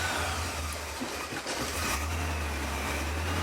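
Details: Austin Healey after alternator fitting, in park with brake on: engine catches and settles into an even, low idle with a smooth steady beat, no misses or knocks; warning light out, charging, good oil pressure.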